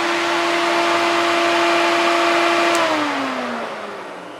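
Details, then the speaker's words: 1991 Porsche 944 S2 with a 6.0 365HP engine swapped in. Its cooling fan had been slowed by resistors to 6.5 V; here it is wired straight to the battery by a jumper. A strong steady whir with rushing air, then the pitch slides down as the fan is cut; normal full speed. "So there we go. That's what it should sound like. That's blowing some serious air now."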